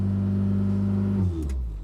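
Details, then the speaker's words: 1997 Renault Twingo 1 started after sitting overnight, stepper motor already replaced: engine holds a fast steady over-revving hum with no throttle before switch-off; high idle traced to a faulty battery terminal and flat battery. "Et voilà ce qui se passe en une nuit, on ne sait pas pourquoi. Écoutez. Voilà, le moteur il part en sur-régime."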